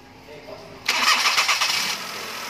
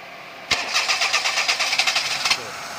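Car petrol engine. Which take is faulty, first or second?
second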